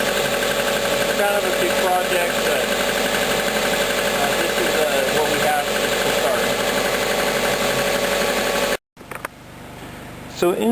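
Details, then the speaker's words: 1998 Subaru Legacy Outback at idle: light, fast, even clacking about four per second, like lifter noise; owner suspected valve clearance, which later proved not to need adjustment; source unconfirmed. "I've been noticing over time there's this loud clacking it sounds a little bit like lifter noise not exactly sure what it is but I'm going to try to see whether it's the valve clearance"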